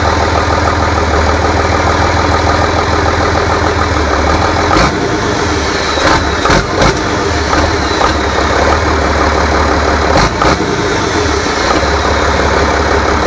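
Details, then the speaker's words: Rebuilt International DT466 diesel from a loader, previously knocking, first run after priming: steady, even diesel idle with a firm low rumble and no knock or tapping; sounds healthy and smooth. "so now we know it runs good uh so far we're going to do some other maybe adjustments and a few other things"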